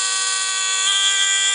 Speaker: but when i add it in front of the register you can clearly hear it very annoying